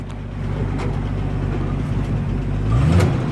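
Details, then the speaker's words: 1976 Jeep DJ-5D postal Jeep, carburetor gravity-fed from a jerry can because the fuel pump is dead, leaking some oil and smoking: low smooth note rising as revved and falling back, no knocks or rattles, good oil pressure; motor healthy. "All right, there's some smoke coming out of there, but it runs so good. I mean, come on, 500 bucks. I'm gonna give her a little rev here."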